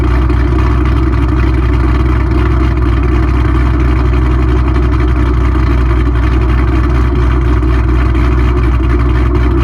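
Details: Mustang 3-valve V8 just after cam install on both sides: loud, steady idle with a slight lumpy pulse, sitting faster than a normal idle; idle somewhat high.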